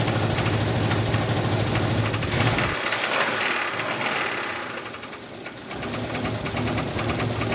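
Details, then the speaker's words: 1980 Oldsmobile Cutlass V8 sitting almost two years, just started: rough running with a rapid, regular deep knock about two and a half per second over idle; owners suspect a rod. "all right do you think it's a rod it might be let me hear the idol though real quick"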